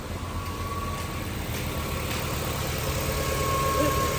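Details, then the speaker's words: Nissan that wouldn't crank or start after driving in rain (water in connector), fixed by refitting a connector and replacing IPDM motor relay: after restarting, smooth even idle with a steady low hum, no stumbles or misses; normal idle. "ये देखें काफी time से गाड़ी start है बंद करके start कर रहा हूं अब अल्हम्दुलिल्लाह मसला क्लियर हो गया"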